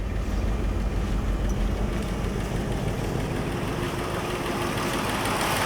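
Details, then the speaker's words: Mustang II Cobra high-performance model, engine first run after sitting outdoors 27 years, factory exhaust: steady, even low idle, slightly rough texture but settling smoothly; old spark plugs need replacing and timing still unverified. "it's idling very smooth now i think we probably had some plugs that obviously should be replaced"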